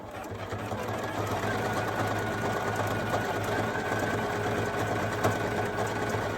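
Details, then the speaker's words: New Poolin EOC06 embroidery machine, day one, third stitch-out: quick, fairly regular clatter about three beats a second over low motor hum, with an odd noise; owner wonders if thread is knotting or tangling underneath, but it hasn't yet. "When it makes that noise, I wonder if it's going to mess up and kind of like knot underneath it, or if it's tangling, but it hasn't yet."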